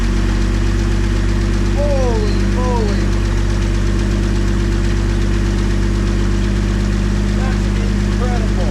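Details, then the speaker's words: 1962 AMC Rambler wagon engine, revived after 50+ years in a lot, running on a fuel pump prime with pushrods connected; steady, even idle with smooth low hum, oil reaching the top end, no knocks or rattles, no smoke; healthy runner. "I'm getting oil to the top side here so that's good no knocks no rattles no nothing this just a runner"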